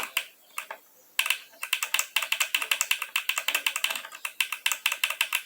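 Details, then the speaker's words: HHO hydrogen injection system injector, hose disconnected, being freed after sticking from overheating: crisp sharp ticks in uneven bursts as power is pulsed, the plunger striking the needle freely; normal injector solenoid click. "ela tá batendo esse barulhinho é do êmbolo dele bater na agulha tá"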